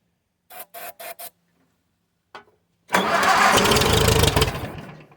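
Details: 1951 Case VAI tractor with a bad resistor (reducer) suspected: four short cranking bursts, then it catches, runs roughly for about 1.5 seconds and dies; won't keep running.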